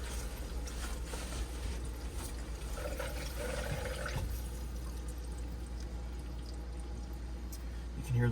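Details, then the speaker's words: Camco EVO X3 water filter change on a Brinkley RV, city water turned back on after new cartridges wrench-tightened: soft steady trickle and rush of water filling the housings, no hiss or drip, no leaks. "the water's filling. I don't see any leaks. I think we're good."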